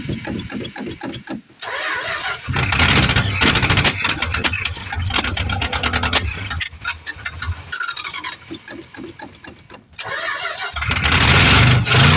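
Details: 1973 Plymouth Fury III with 360 V8 just installed after car sat engine-less 7 years: repeated cranking, then catches and runs ragged, popping and spitting; owner suspects carb issues or timing.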